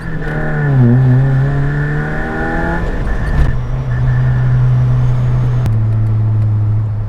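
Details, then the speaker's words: Suzuki Jimny with a blown rear exhaust back box (silencer holed), driving on test: loud deep drone climbing with revs, then booming and rattling on lift-off; snorkel also loud under throttle. "so as you can hear it's not bad it sounds quite good actually oh at least in my opinion anyway to be just broken and not made to be like this"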